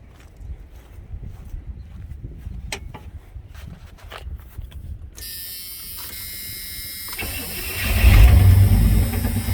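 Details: Farm truck after a new distributor cap, rotor and plug wires, with the distributor still slightly loose for timing: quiet for a few seconds, then it catches at once and settles into a steady, even run; healthy start.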